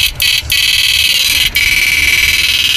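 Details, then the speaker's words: Susan 735 first-gen siren after repair (resistor glued, 500k fitted, flip-flop disabled), on high volume: loud, steady high-pitched wail with brief dropouts as switched; strong clean output, working properly. "Yan, volume, lakas natin. Yan, bali napapatay na natin yung flip-flop. Yan, ang lakas."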